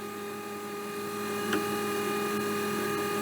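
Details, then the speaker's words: Securalift garage door opener reassembled after board work, suspected bad solder joint; steady even motor hum with constant drive whine, no catching or grinding, error light went out; running normally. "that's actually promising error light's gone out again"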